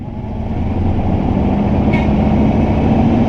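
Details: Newly bought V8 truck, first start after about 2 years not running, check-engine light on: catches cleanly and revs smoothly to 4,500 rpm with no misses or knocks; what looks like an exhaust leak spotted at the rear afterward.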